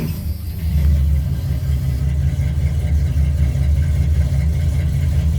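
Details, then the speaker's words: 1976 Chevy C30 one-ton, 454 V8, just after a cold start following a week of sitting: deep, even idle rumble that picks up smoothly on throttle. The big-block sounds healthy. "and i dare say the only real reason it needed to be pumped more than just the one time is because it's literally been sitting here for a week without being started"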